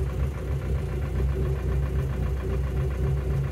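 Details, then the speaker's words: Warm petrol engine idling, a quick regular light clacking over the steady hum; owner suspects hydraulic lifter (tappet) noise, normally slightly present on this engine but now much louder; before adding a chemical treatment. "je sais pas si vous entendez ce claquement là vous entendez c'est ça le bruit de poussoir comme je vous dis sur ce moteur il estz présent d'origine mais là est beaucoup plus présent"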